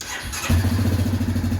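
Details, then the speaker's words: 2016-2018 Yamaha Kodiak/Grizzly 700 fuel-injected ATV after oil and filter change: brief crank, catches instantly, settles into an even steady idle thump with no misses; normal start and idle, checking for leaks. "There we go, like brand new. Make sure we don't have any leaks anywhere. Always start it up and check for leaks. Everything looks good."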